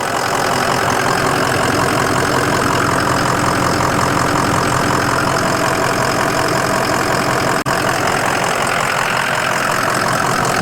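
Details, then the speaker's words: 2005 Ford Excursion Limited 6.0L Powerstroke diesel 4WD, upgraded turbo and injectors, EGR delete, rebuilt transmission at 100k, heard with hood open: even steady idle clatter, constant rhythm, no misses, knocks or hiss; healthy and strong. "All right, let's look under the hood here. Sounds healthy and strong."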